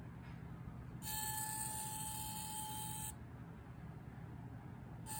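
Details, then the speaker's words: DJI Mini 3 Pro drone after a small fall into a bush: thin, steady servo- or vacuum-like whine from the gimbal motor, stopping when the gimbal is pressed and returning when set flat. "the problem with the gimbal is that it is now just making a constant noise that sounds like a servo sounds like a servo but also kind of sounds like a little vacuum"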